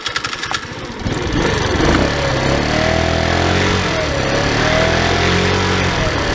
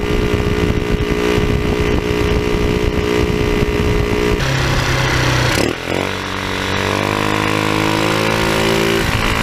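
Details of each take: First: Tao Tao scooter at almost 3,000 km, running with the stock airbox filter refitted after a cone filter felt slower: revs up and holds a steady buzzing drone with a light wavering whine, running normally. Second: Tao Tao scooter with a cone air filter in place of the stock air box, revving: raspy, blatty roar like a bad exhaust from the noisy open intake; the stock air box was refitted afterwards.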